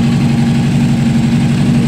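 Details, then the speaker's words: Honda CBR600RR inline-four idling cold, unstable: uneven stumbling beat with one cylinder dropping out; that cylinder reads about 45–50° versus about 80° on others, failing ignition coil suspected. "la vamos a arrancar a ver si me escuchan se escucha cómo está fallando"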